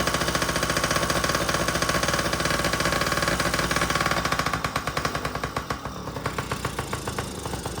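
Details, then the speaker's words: Yamaha PW50 two-stroke with its air box off: rough revs that stumble and sag, with pops, instead of climbing cleanly; bogging under throttle. The owner hopes it was because the fuel was turned off. "That's the bogging out."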